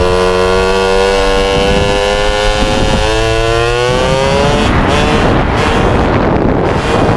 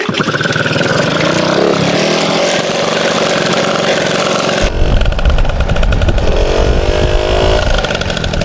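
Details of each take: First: MBK 51 two-stroke moped after revival: buzzy revs rising and falling, uneven and burbly down low before clearing higher up, lacking top-end pull; owner feels it stumbles at low rpm, suspects mixture too lean or too rich, plans spark plug colour check. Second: MBK 51 two-stroke moped: it catches and runs steadily, then picks up crisply and revs freely without stumbling. Normal running.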